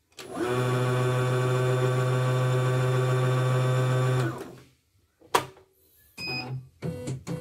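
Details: Dirty, rarely cleaned portable CNY embroidery machine turning heavily: a steady low motor hum with even mechanical chatter that sounds strained. Dirt is blamed for the heavy rotation, and the reported fault is that the machine hangs when thread snags and the screen shows only white. Cause not confirmed.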